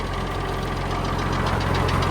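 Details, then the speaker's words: Farmall 1206 diesel tractor: a light, regular tick over the steady diesel idle, seemingly from the middle of the tractor rather than the engine top; source unknown, not confirmed. "You can hear that ticking noise somewhere in here. Which is interesting."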